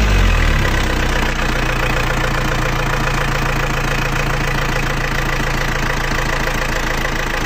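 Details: Panther AE 1558 diesel after engine rebuild, new piston rings and new timing gears replacing worn ones, idling: hard rapid clatter about four knocks a second; injection pump timing suspected too far advanced after earlier compensation for worn gears.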